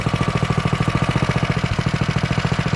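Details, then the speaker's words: 98cc single-cylinder engine in a finished JC Penney Bird minibike, started off choke and warming up before a ride. It putters at an even, quick beat with no knocks or rattles; a super quiet, healthy idle. "her warm up a second. And super quiet. Golly."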